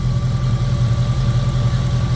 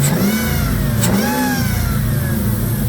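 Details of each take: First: 2002 Jeep Grand Cherokee 4.7 V8 with recurring cylinder 3 misfire and melting coil 3, restarted after running badly: steady, even idle on all eight, power steering pump whine; owner says it drops cylinder 3 when driven. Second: 2002 Jeep Grand Cherokee 4.7 with recurring melted #3 coil and random misfires, now running smoothly on all eight; repeated revs carry a thin whine rising and falling with engine speed from the power steering pump.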